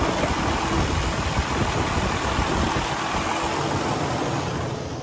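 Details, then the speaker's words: 2012 Western Star 4900FA truck with DD15 475 hp diesel and 13-speed manual, held at raised idle: a steady, even drone with no knocks or misses, easing down at the end, so it sounds healthy at high idle. "Now, let's go out and have a listen to the engine running. I'm going to idle it up."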